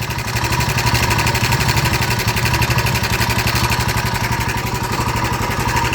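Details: Royal Enfield Himalayan 450 at idle: a harsh, fast, loud metallic kat-kat ticking at about four per second, described as a very bad noise. The owner suspects the cam chain tensioner and plans to fit an upgraded one to see if the noise changes.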